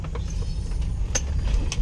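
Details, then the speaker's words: Mitsubishi Pajero 3.8 V6 gasoline on a road test after fuel pump and spark plug replacement; before the fix it had no power and backfired, and the plugs were wet. Under hard throttle a deep, steady drone with no pops or misses, pulling cleanly. "goods na mga sir ah kahit hatawin natin so very good na pag hinataw"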